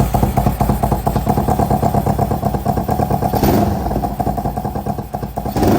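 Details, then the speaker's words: 2003 Kawasaki Ninja 500R twin swapped into a mini bike frame after retiming, on dual carbs, after a first carb tune: even thumping idle, then two clean throttle blips that climb and settle smoothly; idles and revs decent, still needs more tuning. "So, I tuned the carbs a bit. We got it to idle and rev out decent. It needs a bit more, but I'll fire it up and rev it for you guys a bit."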